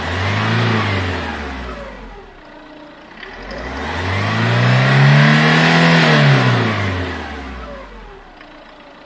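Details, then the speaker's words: Chevrolet Tracker after valve tapping fix, warming toward 85 °C, V-belt covers off: two clean rev sweeps and back to idle, smooth pull with no tapping or knock; healthy normal revving. "E aí é bonito barulhinho tá pessoal tirando esses ladinho da correia em V"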